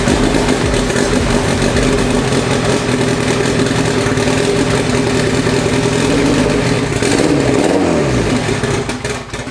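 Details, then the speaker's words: Honda Civic, freshly built four-cylinder LS VTEC engine, Precision 5858 turbo reinstalled: rough lumpy idle, running on about two cylinders. "Sounds like it's only running on a couple cylinders. That's not good. It's really not good."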